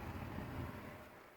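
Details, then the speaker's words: RV furnace on a cool 58-degree day, thermostat cranked to 70 after a 12-volt fuse panel upgrade: soft, even rush of air with low rumble, no rattles or scraping, as the furnace spools up; normal blower operation, piezo igniter then lights. "Okay, well, we're waiting for the furnace to spool up. And hopefully it will, because what temperature was. Oh. There she goes. So the furnace works. That's good."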